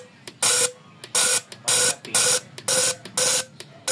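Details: Engine with misfire and low power after new overhaul, injectors tested; crisp even hissing bursts about twice a second, each with a sharp tick, unlike uneven ones needing cleaning; normal injector spray.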